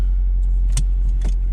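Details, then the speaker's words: 2006 Nissan Altima that sat almost a year: starts and holds low, steady, even idle rumble. Normal idle. "Oh yeah, it's working. There we go, it runs, yay!"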